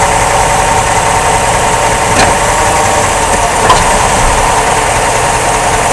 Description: This Problem was caused by Rear Front Drive Axle support Rubber Bushing worn out. Also the Front Drive Shaft Universal was bad and had to be replaced.